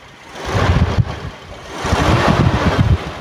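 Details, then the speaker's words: 1995 Toyota Kijang Grand Extra 1.8 (KF52): deep, even engine note climbing smoothly as revs are raised, no knocks or odd noises; healthy engine, no white exhaust smoke. "ya raungan Kijang khasnya seperti ini mesinnya suaranya gede tapi tetap halus"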